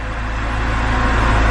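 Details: 2010 BMW X3 started after repairs, which followed an earlier check engine light: brief, even idle with a smooth low hum and no rough start, misses or knocks, so the engine runs cleanly.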